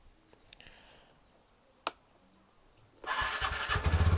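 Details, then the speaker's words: TVS Ntorq scooter on starting: near silence and a click, then it catches and runs with rough, choppy rattle; owner calls it a very bad sound, unsure whether it comes from exhaust or engine. "ये check करो भाई, ये check करो, इसकी sound check करो भाई, बहुत ही गंदी साउंड आ रही है।"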